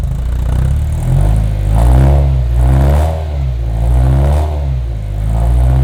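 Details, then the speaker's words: Ferrari 348 first start after DIY engine-out timing belt major service: low engine note surges and sags unevenly about once a second, barely staying lit; running rich on the right side with smoke, harness swap suspected, not confirmed. "Yeah, it's running rich. On the right side."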